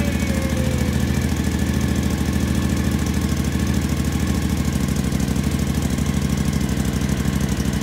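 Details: 2012 Suzuki V-Strom DL1000 V-twin, first start after valve adjustment, gas tank work and reassembly; steady, even idle with clean regular pulse, no ticking or knocking; sounds healthy.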